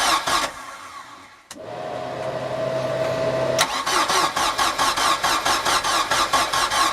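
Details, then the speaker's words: Cheap Copart Bayliner boat's Mercury engine, project motor: starter churns with steady compression beats about two a second but the engine never catches; cranks, no start, cause not confirmed. "so unfortunately we were not able to start it today, but we'll try again tomorrow."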